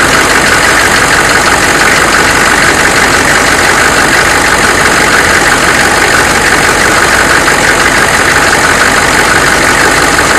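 Heavy diesel clatter at idle with a dull knock about twice a second underneath, steady throughout; an internal engine knock, source not pinned down.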